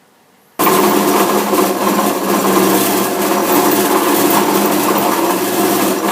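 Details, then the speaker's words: Saw drive running with loud harsh uneven clatter and loose rattling over the motor; cover removed revealing a sheared pulley keyway. "well sounds like something's going on in the drive so I better pull the cover off and investigate that one okay there we are the old shared keyway"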